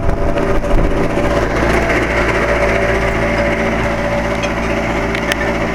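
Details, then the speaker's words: 2007 Carrier 2.5-ton central air conditioner outdoor unit making an intermittent weird noise, on and off for years: a steady humming drone with an uneven, rough whir layered over it. The fan motor is suspected. "so yeah this is my neighbor's air conditioner making another weird noise"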